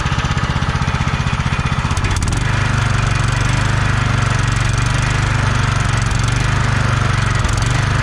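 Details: Kohler Courage 20 hp engine on a free Craftsman DYT4000 mower, fuel pump hooked up, battery 12.79 V, starter acting up; brief crank then steady even thump, no rattles or exhaust blowing; charging good, carb decent; normal running.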